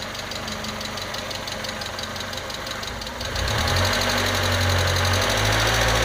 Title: MAF Vacuum Leak